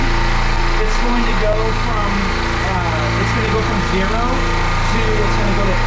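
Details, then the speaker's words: Midmark Power Air dental compressor after the pressure-switch air leak was fixed. A steady, even motor hum with no leak hiss as it pumps up from zero; it stops at 100, and the pressure switch is then adjusted. "let's go and turn this on and see if it makes pressure so the okay so the pressure right here it's going up it's going to stop at 100"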